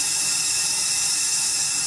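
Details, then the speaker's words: 2003 Porsche 996 Turbo boost leak test: check valve ports plugged and air applied, a steady sharp hiss rushes straight through into the intake; both check valves blown, boost leaking past them. "put some air in there you hear it coming through the other side let go so I know both of these check valves are blown"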